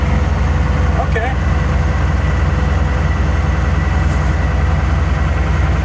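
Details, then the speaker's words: Ford L8000 crane truck, likely Cat 3208 diesel, first start on jump pack after four or five years sitting: deep steady chug about three and a half beats a second, even; healthy idle, building air. "Oh, that was easy. Okay, I guess you will start."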